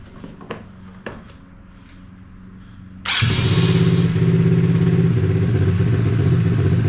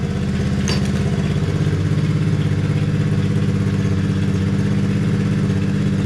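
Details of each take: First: Hawk 110cc ATV, choke off: a couple of starter ticks, single catches and settles into a fast steady idle that keeps hanging high and creeping as idle is lowered; high idle. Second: Small single after idle adjustment lowered: settles into an even, steady idle with smooth low thump, no misses or clatter, slight creep remaining; normal idle.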